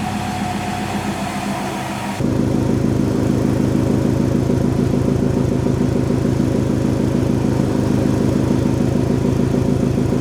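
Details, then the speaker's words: Subaru STI boxer engine, jump-started after sitting four months in winter storage: steady even burble with no knocks or misses, idle settling around 500–700 rpm, oil pressure normal; healthy idle. "i checked over everything everything is looking good our oil pressure is back down to normal idle because our idle is back down to right around 500 i think it's around 700 actually it's set too"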